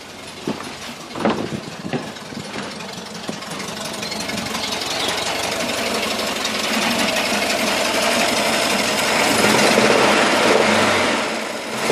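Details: VW camper, 1600 twin-port air-cooled engine, cold: fast dry knocking clatter through repeated revs; goes away when warm, not fan or alternator related; cause unknown.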